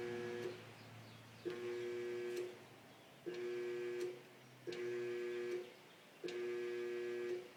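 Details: GE dryer that won't start: repeated one-second bursts of steady electric buzzing with a click at each start, and the drum and motor don't spin. It was fixed by vacuuming built-up lint and dust from inside the dryer.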